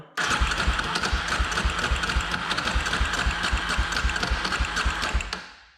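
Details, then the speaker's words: 2003 Polaris Predator 500 quad, valve cover loosened, lined up near top dead center, compression about 130 psi: rapid starter cranking thuds with rough mechanical clatter, apparently from the flywheel area; flywheel keyway suspected, not confirmed. "So it's definitely making a lot of noise from like the flywheel or something."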